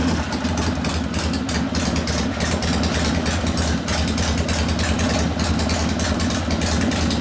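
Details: 1972 Harley-Davidson Sportster Ironhead XLCH after case repair and engine rebuild (kick starter previously wouldn't turn the engine): even, lumpy V-twin idle with a steady beat, no knocks or rattles; running properly.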